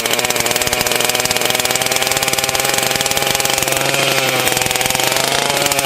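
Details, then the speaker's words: Husqvarna 281/288 chainsaw revival; saw holds a fast steady buzz instead of dropping to idle because the half-throttle latch is sticking; clutch and hub parts also need ordering. "the half throttle is sticking. I can adjust that, but yeah, I'm gonna have to order some parts to get this all 100% here."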